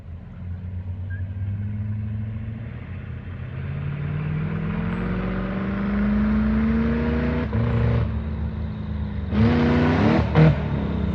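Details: Crown Stock race car that had been sitting, getting new parts: revs climb smoothly then cut sharply near the top and drop, twice; breaking up at a set rpm, suspected rev limiter or chip, not confirmed.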